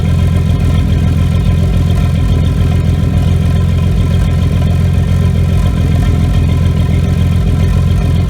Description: Have a slight misfire and it started after the nitrous backfire.